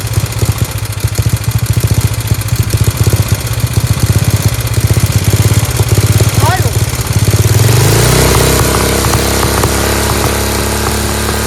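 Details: Free Dayton lawn tractor with an 11 hp Briggs engine being revived, run on choke with no air filter: loud, crisp, barely muffled exhaust popping at a fast, even idle, like a hot rod; healthy.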